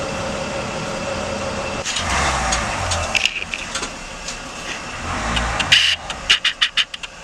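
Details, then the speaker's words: Vehicle starter spins briefly with nothing catching, then sharp clicks, engaging by itself the moment power is applied to charge the batteries after roadside mechanic's electrical work; starter running on, may be burned out. "the sound you just heard was the starter now because it's YouTube rewind a little bit and listen to it again"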